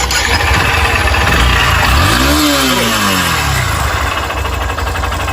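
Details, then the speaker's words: 2022 motorcycle, smoking and noisy: fires up, blips, then idles with a hollow rapid tock-tock knock; piston skirt slap, likely only needing a cylinder kit. "Bem, tem um barulho aqui de batendo saia. Pistão. Toc, toc toc toc toc toc toc."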